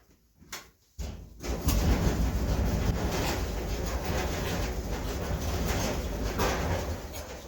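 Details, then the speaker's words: Empty clothes dryer (Inglis, similar to LG) running with a heavy, uneven thumping rumble and rattle from the drum; owner suspects a failed drum roller or roller bearing. "what we've got is a problem with our dryer where it's making horrible noises when it runs the drum is rattling even though there's not a load in there and I think what's wrong is one of the rollers or one of the roller bearings has failed"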